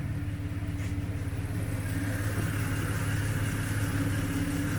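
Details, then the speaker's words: Jeep TJ with NSG370 transmission and newly installed rebuilt engine after cam break-in: steady even low idle drone with zero whirring or grinding marble noise from the previously noisy transmission; gearbox 100% quiet. "Zero whirring, grinding marble noise coming from my transmission. It's 100% quiet."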